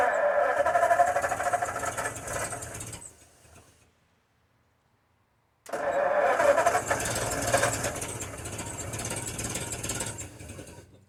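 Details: 1952 Ford F-1, first start in 28 years, rebuilt carb: two cranking bursts catch and almost fire, then die away. Flooding from too much choke; it needed more air and started once corrected.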